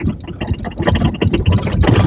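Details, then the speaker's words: VW Polo driven on the road with a phone recording on the dashboard: irregular hollow clunks and thumps over bumps. Inspection then finds large play in the front lower ball joint. "e olha só esse Polo aqui ele tá com a batedeira horrível"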